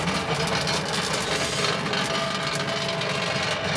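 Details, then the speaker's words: Vintage Westinghouse fridge, rewired and running and getting cold: loud, constant hum with a buzzing rattle riding on top; compressor shaking on worn mounting bushes. "this thing here yeah he actually makes some noises you definitely know that fridge is running that's for sure"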